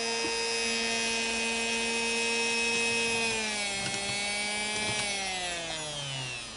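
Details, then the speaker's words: Singer Model 221 Featherweight sewing machine motor run flat out on its pedal after rehab (cleaned commutator, new grease wicks, brushes reinstalled); a clean, steady high whine that drops smoothly as the pedal eases, with no grinding or rattle; very smooth and quieter. "i'm very happy it's very smooth and uh it's to me it's quieter it probably hard for you to tell"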